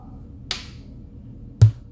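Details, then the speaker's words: Amazon Basics active bookshelf speakers (Edifier knock-offs), after reassembling the driver: faint click at switch-off, then about a second later one deep, loud thump; loud pop when switched off. "so it starts and then you hear the thumping noise uh when it's switched off"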